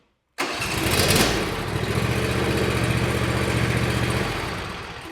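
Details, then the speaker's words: John Deere Z365R/Z375R zero-turn riding mower, cold start on choke, cranked until it runs then throttle returned to idle indoors; engine fires straight away, revs on choke, settles to even idle; normal cold start and idle. "Go ahead and start it up, up on choke. I'm going to crank it until it runs. As soon as it starts up, I'm going to put it back down to idle."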